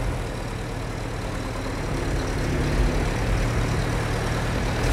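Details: Old petrol engine at a New Zealand vintage museum: low, even rumble at steady idle with whooshing fan over it, no misses or knocks; running healthy.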